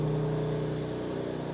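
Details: BMW M2 Clubsport after engine rebuild and reinstall, first start, exhaust fitted; deep even exhaust burble with steady pulsing, no knocks, ticks or rattles; running smooth, normal revving.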